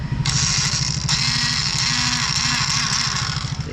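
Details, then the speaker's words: Yamaha FZ motorcycle at idle with new clutch lining fitted but still rattling; steady metallic clatter from the clutch housing over lumpy idle, disappears when the clutch lever is pulled, returns when released; starter motor also not working. "So pag hinawakan mo kasi yung clutch na nangyari, so nawawala yung kalampag nya. So pag binitawan"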